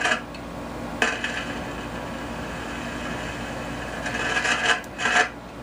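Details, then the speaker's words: Heathkit T3 signal tracer: turning the gain up only slightly produces harsh crackling, rasping static with louder bursts over hiss, the same fault seen on another T3; traced to a missing grid leak resistor in the tube amplifier stage. "soon as I turn up the volume just a little bit of the gain just a little bit this is what we get the exact same problem is what Mr Carlson had"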